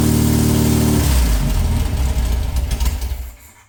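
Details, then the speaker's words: VW flat-four for a 1958 Beetle, rebuilt from a pile of parts and of unknown last run, is fed fuel poured into the carb bowls with the throttle held open. It fires for about a second, then stumbles and fades, and won't hold idle. "Very close. It's like like it just who knows when this thing last run."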